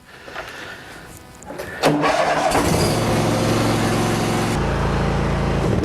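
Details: Hustler Raptor SD zero-turn mower after deck and spindle rebuild for thrown belts: short crank, then the engine catches and settles into a steady, even run with no knocks or misses; running healthy.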